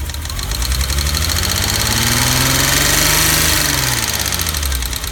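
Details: BMW E30 at idle after a new distributor cap and rotor: an uneven, lumpy, stumbling beat with rising and falling low pulses. The misfire persists.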